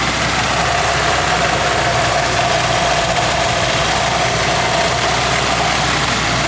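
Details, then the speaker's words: SR20-powered Nissan 240SX S13 idling poorly and misfiring: engine held at steady raised rpm with loose, busy rattle over exhaust drone; owner suspects internal engine failure, source not found, drives fine under load. "Starting to think it's internal engine failure though. When I hold the RPM higher, I can hear something rattling around."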